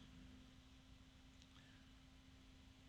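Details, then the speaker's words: Arctic P12 Max case fan running near full speed: steady airy rush with constant mid-pitched hum, very loud, louder in pure volume than a Noctua fan, which has a higher-pitched tone. "cause this fan is just so loud that's a noisy fan this makes the noctula look quiet which I'll show you now"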